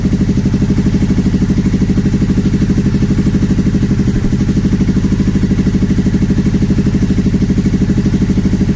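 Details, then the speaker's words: 2009 Aprilia Shiver SL750 after replacing both air pressure sensors in the airbox: an even, steady twin-cylinder idle pulsing about three times a second. The idle had been jumping up and down after about a minute of running. "Steady. So it wasn't the evap, it wasn't the air hose to the tank. Must have been one of the air pressure sensors."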